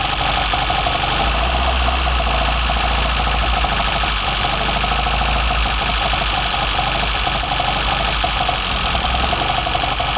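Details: BMW 318i with M10 engine, first startup after fitting sidedraft individual throttle bodies (Carburetor Man / Dramatic Racing): raspy, even intake roar over a steady engine beat, no misfires or knocking; normal running, pulling cleanly.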